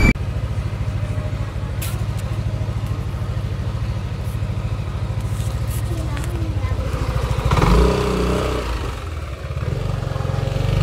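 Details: Yamaha Aerox 155 scooter, warm and idling: light, steady ticking about three a second over a low hum, heard on the right side near the radiator for two weeks; cause unknown.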